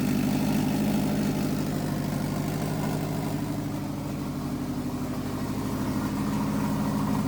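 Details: 2006 Subaru 2.5i with swapped-in JDM WRX engine and 6-speed, ACT clutch and new pilot bearing, first start after fuel feed line was found reversed: engine catches and settles into a steady, even idle with a low rhythmic burble, no knocks or misses; normal idle.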